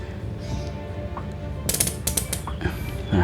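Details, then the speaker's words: Pump fitted with a spring (keong) valve that previously popped out of the pipe (V5 7cm pump), now fixed. Short crisp buzzy "brut" bursts with each stroke and no air hiss show the spring valve seating properly; the valve stays in and suction is unchanged. "Nah, kita pompa. Ini ciri-ciri klep keong yang bekerja dengan bagus teman-teman. Bunyinya seperti ini."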